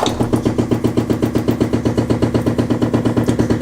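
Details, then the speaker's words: Composting toilet at a cottage: flushing (pushing the lever down and letting go) makes sharp, regular bangs about four a second through the water pipes, stopping when kitchen/bathroom sink is turned on. Pipe banging. "but overall when you push it down and let go the sink supposed to make a really loud noise"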